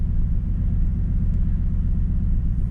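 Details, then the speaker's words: Cheap old truck at its spring start-up after winter, on a recharged battery: a low, thumping idle with an uneven loping pulse, the roughest it has ever run. Owner suspects a leak, not confirmed. Rough idle. "so the roughness here it's never run this rough mind you this is the spring run"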